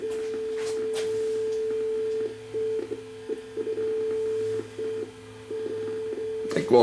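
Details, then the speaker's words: Sony SLV-757 VHS deck (circa 1989/90, blue gear previously replaced, bad picture) playing with auto tracking. A steady test tone cuts out and returns in short irregular gaps: the hi-fi audio drifts in and out intermittently, so alignment is to be checked. "Sounds like it's drifting in and out of hi-fi there, so let's put the scope on it."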